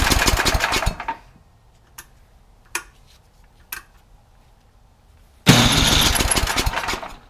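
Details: Craftsman 31AE5HTG799 28-inch snowblower, 9 hp Tecumseh Snow King engine, sat unused for years; after new carburetor installed, fires with quick even chatter, goes quiet, restarts and settles into steady fast run; healthy.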